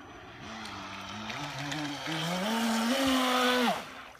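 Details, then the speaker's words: Miss Geico 17' RC boat upgraded to brushless Traxxas Velineon 380 motor with Mamba Micro Pro ESC, first in-water test run; motor whine faint and low, then climbs sharply as throttle opens; low end turned down too much on the controller. "So it needs a little ironing out. I've turned it down way too much. So my low end is way too low."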